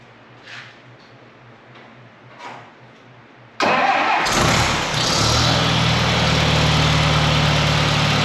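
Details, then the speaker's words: 1959 Allis-Chalmers D-17 tractor after restoration, tune-up, new exhaust and clean fuel line, first start: brief cranking, then steady even low idle, no misses or knocks; normal idle, nice and smooth. "Of course. It sounds good. Nice and smooth."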